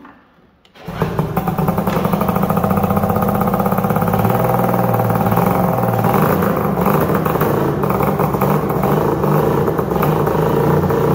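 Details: 1997 ZRT 600 triple two-stroke snowmobile, first pull-start after sitting all summer and a replacement bottom end fitted (old crank bearings noisy, crank seals leaking): silence, then catches and settles into busy, crackly steady run without misses; healthy.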